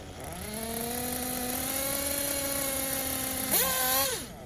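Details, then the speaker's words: Tekno Blok 21 BM nitro engine in a buggy, held at steady 10–15% throttle then punched: high buzz blips up and falls back, hesitating because the bottom-end needle is too rich; still hesitating after a lean-out, needs more leaning. "and then punched it and it hesitated because there's too much fuel left over because the bottom and needle is too rich"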